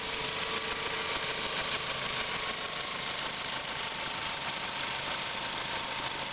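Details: 1997 Ford Mondeo after a CD4E transmission rebuild, idling: a harsh high squeaking chatter of unknown source, unchanged by gear or movement, fainter as rpm rises at the same frequency, lingering about a second after shutoff.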